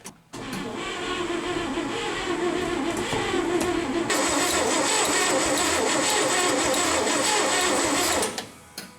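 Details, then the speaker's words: 1970 International 1200 pickup that sat 30 years, primed and fed from a fuel container, oil and coolant added: steady starter churn about three beats a second for eight seconds, never firing; no spark, owner suspects it needs points. "Well, I primed it. It's not firing at all, so I suspect it may need points."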